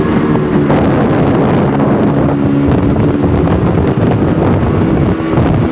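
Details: 2002 Sea-Doo RXDI two-stroke after rebuild (new top end, different crank and block), first water test on old gasoline, breaking in: steady even drone over wind and water, no knocks or misses; healthy, idle about 1420–1440 rpm.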